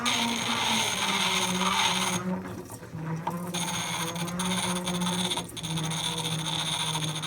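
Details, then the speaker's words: Antique Carborundum hand crank grinder, possibly early 1900s, after restoration, clamped to bench: uneven whirr with scraping bursts as metal meets the wheel; few sparks but it takes metal off, turning freely. "but not many sparks but it is taking metal off"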